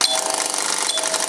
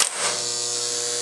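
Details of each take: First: Electromechanical pinball playfield slingshot: rapid, steady clatter of the coil snapping about ten times a second, then stopping. Misaligned switches or a wrong rubber ring can cause the stuck switch and nonstop solenoid firing, which can burn out the solenoid, so shut the machine off. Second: Electromechanical pinball flipper held up with the button down: a brief click, then a faint, steady, even buzz from the low-power hold coil. This is normal. The buzz gets much louder, and the lights dim, if the flipper is forced out of position.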